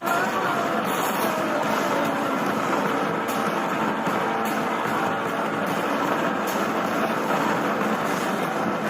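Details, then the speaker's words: Sony D-EJ000 CD Walkman: music under steady harsh gritty crackle, distorted for the first 5–10 seconds after play, skip or pause, then clears; owner suspects anti-shock buffer, capacitor joints touched up, not recapped. "the problem is when you play a CD it's distorted for the first 5 or 10 seconds and then the sound is fine"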